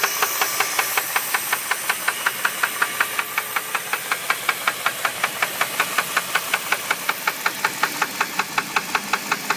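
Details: 2001 Jeep Grand Cherokee 4.7 V8 at idle: crisp very regular metallic knock about two to three per second from inside the engine; owner suspects rod knock, unconfirmed.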